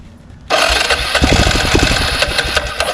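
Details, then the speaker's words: 2002 Arctic Cat 375 4x4 ATV, abandoned, revived with new starter solenoid and relay, fired with carburetor removed: sudden loud uneven popping for a couple of seconds, then fades; engine fires briefly then dies. "So some success. I was able, once I removed the carburetor, I was able to get it to fire."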